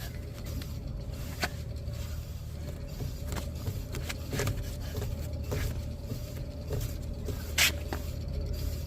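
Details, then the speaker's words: 2009 Honda Civic, rear wheel raised on jack stands and spun by hand after a loud rear noise while driving: steady low rough rumble with dry ticks, worn rear wheel bearing hub grinding. "you hear the grinding guys so there we go guys right here"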